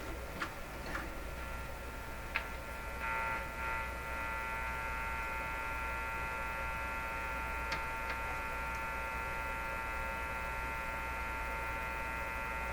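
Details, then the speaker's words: Canadian Crosley 12B tube radio, detector stage work: steady low hum with fixed buzzing tones and faint ticks in the output, a different kind of hum noted while testing 10 MHz signal-generator pickup; mains hum, source not yet found. "There's a different kind of hum in it too."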